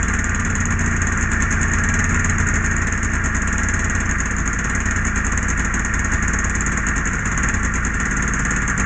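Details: Polaris Edge 600 XC two-stroke sled after clutch spring replacement, first start to check clutch engagement: steady, raspy idle with an even beat and no misfire or clatter; sounds healthy.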